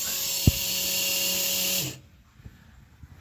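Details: Flow Pro on pressure washing soft wash box truck, tested on rinse for winter washing: steady, even electric whine with constant hum for two seconds, then winds down and stops; small pump running properly.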